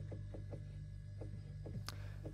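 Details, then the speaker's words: Fridge-freezer after fixing the freezer fan that made a loud tractor-like noise: steady low normal hum with a few faint light taps and one click, no loud rattle. "can hear the noise but not this loud noise the normal fridge noise"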